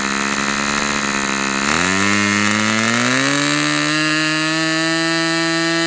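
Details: Customer's Fox twin-cylinder glow model engine on outdoor test run, glow igniter left on: smooth buzz jumps up then climbs to a clean, even high-rpm scream with no sag; running healthy.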